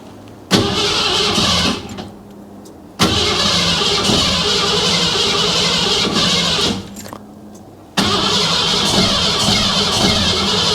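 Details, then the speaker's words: Shop truck first start after timing chain and intake job, smog parts left off: repeated cranking with occasional pops on one or two cylinders that never catch; owner suspects too much ignition timing. "again I mean I'm not forgetting anything here am I obvious coils plugged in and stuff and I me it's popping on one or two something not doing what something's"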